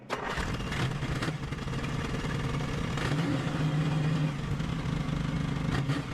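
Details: 1955 Jeep Willys Wagon, long-stored restoration, running after an oil change: steady, even low thrum with no misses or knocks at a constant speed; engine running healthy.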